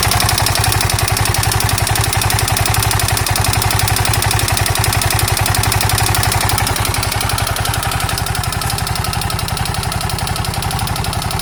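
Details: KTM 640 LC4 single-cylinder at steady idle with a sharp, regular knock about four times a second; engine knock, owner unsure whether top end or bottom end.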